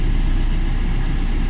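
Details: Maruti Suzuki Swift VDI diesel, restarted after the faulty thermostat/heat switch was found to be the cause, so the key now shuts the engine off: short burst of steady, low diesel idle clatter, even with no misses; normal idle.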